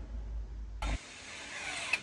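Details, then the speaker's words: Tesla electronic parking brake caliper fitted to a Jeep, triggered via relay with brake pedal pressed: a relay click, then a loud steady motor whir for about a second and a half as it clamps; normal engagement. "and you hear it clamp down not trying no one to stop it's pretty loud"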